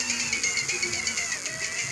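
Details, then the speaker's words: About 35-year-old mini auto-reverse cassette player recorded by a mic beside its speaker: music plays thin and rushed, with pitch sagging and rising as the motor is held back. The motor's speed-control preset is faulty; adjusting the preset should fix the overspeed. "ये motor में fold है य motor का जो preset है काम नहीं कर रहा इसको मोटर को अगर क्ल माप में घुमा सकूंगा तो इसकी आवाज सही होगी"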